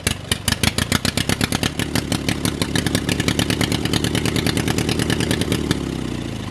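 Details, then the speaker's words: Drag race lawnmower engine on its first start in a long time: fires straight up and pops along unevenly on choke, then dies; won't run without the choke, and the owner guesses it might be the fuel filter. "whoa all right she runs on choke only all right guys so you just saw she fired the first time she does not run without the choke on"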